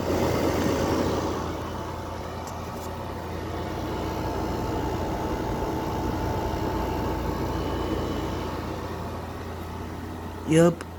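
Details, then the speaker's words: 2024 Midea 5,000 BTU window air conditioner heard running from outside, condenser sweating and cold; steady, even low hum with smooth fan rush, no rattles or knocks, compressor sounds pretty good; normal compressor running. "This sounds pretty good with the with the the compressor sound. Yeah, sounds pretty good."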